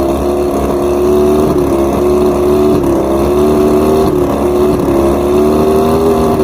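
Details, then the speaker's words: Outboard after coil tested good and both switch boxes replaced: droning tone wavers and dips about every second, an uneven misfire beat; number 5 spark plug fouled again despite being new, being replaced. "Number 5 is toasted again. This was actually a new plug. All the other ones seem to be correct, but why is number 5 getting toasted? Look at that. It's bad. It's fouled."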